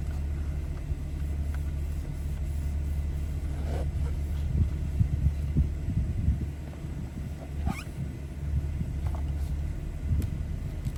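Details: 2014 BMW 320i, warm engine at about 80-90 degrees: quiet, deep, steady rumble that lifts slightly and holds higher as the engine revs up during the onboard engine oil level measurement; normal, slightly raised idle.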